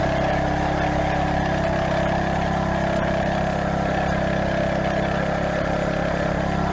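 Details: Craftsman garden tiller, small single-cylinder engine, test run right after replacing the old worn belt and setting tension, belt guard still off; steady even rapid chug with no belt squeal or knocks: normal running.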